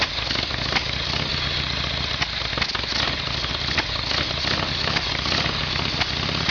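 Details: Harley Evolution Sportster after carburetor work, test run with a see-through fuel line: steady, even V-twin idle with a regular low throb and no misses or stumbles. Carburetion sounds right; normal idle.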